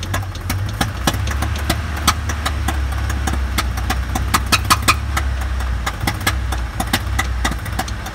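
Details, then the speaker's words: Engine after over-revving to get out of mud: uneven idle with sharp irregular pops and backfiring; owner suspects a failed lifter not opening a valve, runs fine with cylinder 1 disconnected; unconfirmed. "oh the lifter might have given out that's the a backing up that's it's backfiring because it's not have that valve open"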